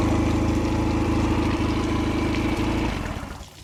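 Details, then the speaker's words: 2004 Nissan 9.8hp outboard on a stand, after fixing broken fuel pump hose clamp that let it suck air and lose prime: steady, even low putter with regular firing, no misses or knocks, then winds down; healthy. "All right, so definitely that guy right there was the reason why it didn't run."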